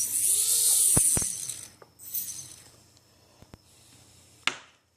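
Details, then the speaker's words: Brand-new HobbyKing AX 1806N motor run without prop: high harsh whir with gritty rough edge and sharp clicks, rattles like rocks in a box, much worse with prop attached. Bad bearings. "this one has bad bearings and with a prop on it's a lot worse but even without a prop I can if you can hear it it rattles shouldn't yeah sounds like there's a bunch of rocks in there should be smooth and"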